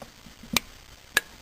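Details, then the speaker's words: Fuel pump relay from a 2000 Honda Accord with intermittent no-start and stalling, bench tested with a battery jumper on terminals 6 and 8: two crisp clicks as it pulls in; the relay works, although it is suspected faulty. "do it again that showing that the relay is working"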